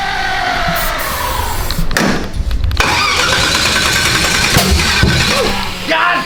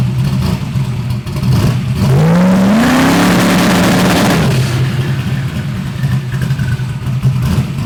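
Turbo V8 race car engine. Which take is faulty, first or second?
first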